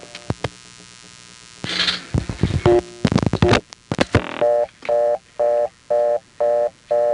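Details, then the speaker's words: Number one step office with a crossbar 5-type tone plant: clean tone switching on and off about twice a second, evenly spaced; the exchange's reorder signal. "And while we're on the subject of reorder tones and number one step, there's a certain type of tone plant which is most often found on crossbar 5. But when a number one step has one of these, its reorder can sound like this."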